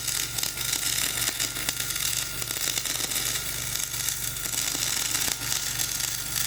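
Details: Dual-shield flux-core welding on a preheated outrigger pad, voltage up half a volt, Trailblazer one notch up on rpm: a steady hissing, frying crackle with uneven pops and a low hum, the arc running rough over a high, ropey stick bead.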